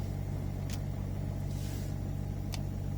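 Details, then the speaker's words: Citroën Grand Picasso with sagging rear air suspension, engine idling and doors closed: steady low electric drone as the suspension compressor keeps pumping to raise a rear end that won't hold height. "now that's the pump working pumping the suspension up to normal can you hear it"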